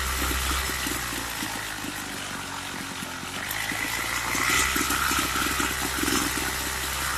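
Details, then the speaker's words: Craftsman two-stroke weed eater: runs unevenly, stumbling and surging at low speed. Suspected fuel starvation, not confirmed; low-speed carb screw opened about an eighth of a turn. "Sounds like it's not getting enough fuel. So I'm going to turn the low screw up. Just about an eighth of a turn."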